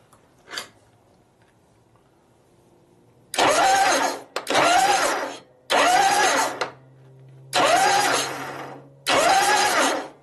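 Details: 1965 Harley-Davidson panhead 74ci FLH with a rebuilt motor, starter test before filling with oil: five strong, even one-second cranking bursts with a steady whine and no grinding or slipping. The starter is cranking healthily.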